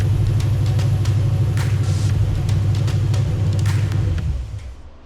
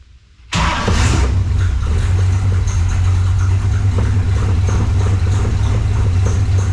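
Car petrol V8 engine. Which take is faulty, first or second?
first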